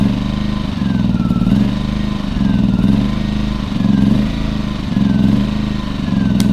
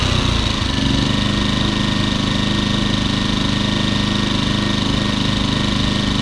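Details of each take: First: Champion 2000 W 73536i inverter generator with about 16–24 hours of use: engine hunts up and down about once a second at idle; the carburetor, including the idle jet, was cleaned and a fuel filter added. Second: Champion 2000W 73536i generator, about 16-24 hours of use, after cleaning the idle jet and carb to cure surging; steady, even drone with no hunting or surging while the economy switch is toggled. Normal idle.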